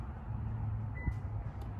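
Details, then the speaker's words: Subaru (Outback/Forester/Crosstrek) hatch keypad PIN entry after pressing unlock: short high beeps over a low idle rumble confirming digits, then car unlocks with beeping; normal keypad entry beep. "there we go it unlocks you can hear all the beeping"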